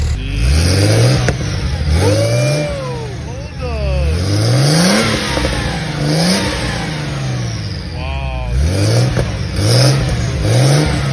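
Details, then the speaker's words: Porsche 964 911 Turbo flat-six after fuel pump replacement: strong, clean rising and falling revs on blips, no misses or knocks; sounds healthy. "caught it back in the garage it sounds great sounds like a beast so she's gonna rip she's gonna be a ripper"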